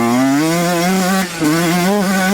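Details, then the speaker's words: Yamaha YZ125 two-stroke during rich-running diagnosis with 430 main jet: sharp, clear note holding high revs wide open without bogging, top end clean. "So, it does seem to rev out pretty clean holding it open. So, it might just be loading up a little bit at low to mid-range."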